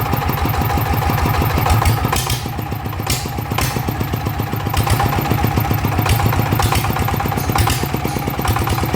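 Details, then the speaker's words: Single-cylinder engine idling after replacing a worn, rough flywheel bearing that had been making noise; even, steady thumping with no sharp metallic knock, much quieter than before. "อ่ะตอนนี้ก็เปลี่ยนแล้วก็ถือว่าเงียบใช้ได้นะครับ"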